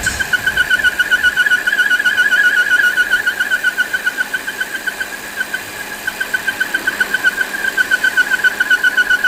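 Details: Volvo XC60 at idle: high, pulsing squeal chirping about four times a second, traced to a defective PCV valve.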